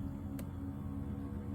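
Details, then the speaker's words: Power seat motor in a 2003 Toyota Highlander, 22 years old, moving the seat forward: steady low hum with faint dry edge and one click; not weak, but owner says it sounds like the gears need greasing. "that's what it sounds like. It doesn't really sound weak, but it does sound like it needs to be greased, and this vehicle is 22 years old, so it's probably about time."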